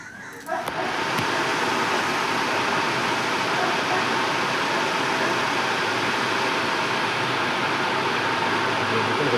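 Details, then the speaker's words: Maruti Eeco radiator cooling fan motor that had stopped because of worn carbon brushes, after a gentle tap-and-spin: motor kicks in and spins up to a smooth steady whir with no scraping or rattle, running properly. "Friends देखिए अब हमारा जो fan है वो proper तरीके से काम कर रहा है। इसकी आवाज है। उससे ही पता लग रहा है कि ये फैन कितना स्पीड में काम कर रहा है।"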